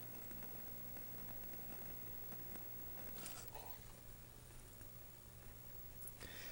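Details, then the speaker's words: 1984 Panasonic CTF-1359R CRT color TV: faint continuous fizzing crackle over low mains hum, high-voltage arcing that changes with the screen control; cause was a failed flyback transformer, repair patch failed. "that's an arc somewhere"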